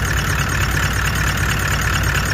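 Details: Brand-new clutch at 15,000 km, engine at idle with the clutch pedal released: a steady engine idle with a constant mid-pitched whirring hum over it; clutch noise, unclear whether installer or manufacturer is at fault.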